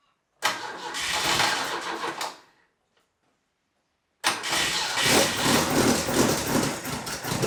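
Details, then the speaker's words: Caterham Super Seven 1600GT Sprint, 1.6-litre carburettor engine with bare mufflers, cold weather start without a choke: cranks, catches roughly and dies, second try runs ragged with uneven revs needing throttle; hard cold start. "I'm without a choke on the carburetor, so it seems pretty difficult to start the engine, especially in this cold weather!"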